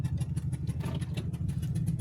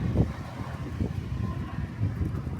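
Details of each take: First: Motorhome engine while driving through Minnesota: fast, steady ticking over the engine rumble, like a spark plug blown loose from its thread, with plugs only about 4 months and 4,000 miles old; the same sound occurred before in Atlanta. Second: Motorhome engine just collected after a breakdown repair at a Ford shop, running with a quiet even low hum, no misses or knocks, sounding much better than before the repair.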